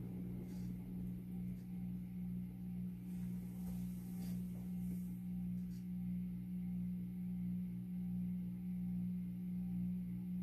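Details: 52-inch Supreme Fan Mark III ceiling fan on low speed: a loud, steady low hum with a faint slow wobble. Owner suspects the faulty variable speed control, which has dead sections, may be causing the noise.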